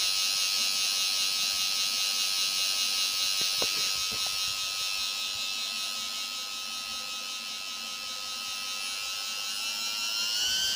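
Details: Quadcopter motor: high, steady whine with a harsh gritty edge and slight pitch rise at the end; rough-running noisy motor, bad bearings suspected but unconfirmed.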